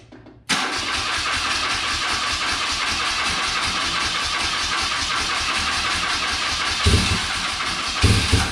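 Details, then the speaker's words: Circa 1983–84 BMW R65 twin, first start attempt on starting fluid: cranking catches with harsh, uneven firing and louder pops near the end, runs only briefly; carbs to be pulled and cleaned. "Alright, well, it was enough pops and bangs for us to Let's pull these carbs off and clean them out because I don't really want to run a bunch of junk through there."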